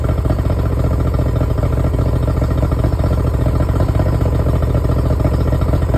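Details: Yamaha 70 two-stroke outboard after a no-crank no-start fix, run briefly at idle without cooling water, half choke, not revved: quick, even firing holding a steady beat, no knocks or misses; clean idle.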